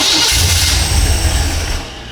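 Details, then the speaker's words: Engine newly fitted with a FiTech throttle-body EFI, first start, tach wire on coil negative: catches with a rough, loud burst, runs about a second and a half, then dies; handheld showed no RPM signal during cranking. "that engine fired and died, but we never showed an RPM signal on the RPM."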